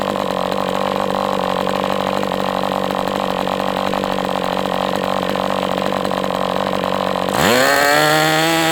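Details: MDS 68 FS Pro four-stroke glow engine on break-in stand, after carb retuning (idle screw had been tampered with), idle bar plug removed; steady high buzz at even revs, then clean sharp pitch rise as throttle opens; normal running.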